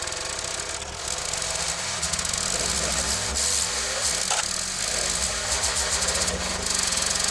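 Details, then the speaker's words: Old 20-ton Clarke log splitter, roughly 3.25–3.5 hp Briggs & Stratton, with the old carburetor and no governor set up, started outdoors to split logs: rough running with a harsh high screech and rattle. Owner thinks something came loose; the cause is unclear. "It started, something came loose, it seems like. I don't know what that screeching was all about."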